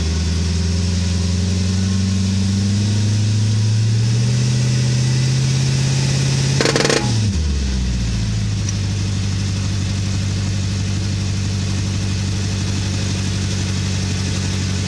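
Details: 2008 VW Touareg, popping from front end under heavy acceleration, reproduced by brake-torquing in gear; revs climb then one sharp pop; rear driveshaft and bushing already replaced, CV joints fine, fluids full, CV bolts retorqued; owner suspects front differential.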